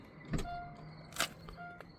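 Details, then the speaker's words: 2015 Mercedes ML350 power liftgate pressed to open: sharp latch pop and short clicks, then no motor hum or lifting; the latch releases but the gate does not rise and must be opened manually, failed power liftgate. "you heard it it just cracked open but it didn't go up"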